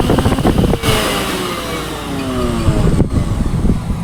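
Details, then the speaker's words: Philips mixer grinder after repair, previously making a lot of noise inside, reassembled with the cabinet screwed tight: motor spins up and holds a smooth, even whir with no scraping or rattle; running normally. "First class first class तो यह काम करने लगी है। बहुत अच्छी चल रही है मशीन।"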